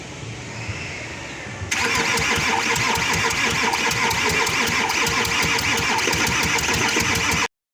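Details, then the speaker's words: 2013 Audi Q7 crank-no-start after oil leak repair between engine and transmission and timing chain replacement; starter cranks at steady three beats a second with uneven compression pulses, never catches; timing issue suspected: uneven cranking, no start. "after that I just got someone to crank over and while you cranking you hearing like the engine is skipping like definitely some issue when it come to time right"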